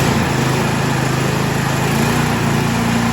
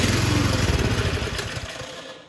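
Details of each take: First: Troy-Bilt Storm 2665 two-stage 26-inch snow thrower (model 31AM6CP3723), unused two seasons, after carburetor rebuild with idle screwed back down: steady, even small-engine idle, constant pitch, no surging or misses, then shut off; idling perfect. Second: Troy-Bilt Storm 2665 snow thrower (model 31AM6CP3723), sat two seasons, electric start on choke: engine catches, runs roughly a second, then dies, running only on primed fuel; confirmed carburetor fuel delivery fault.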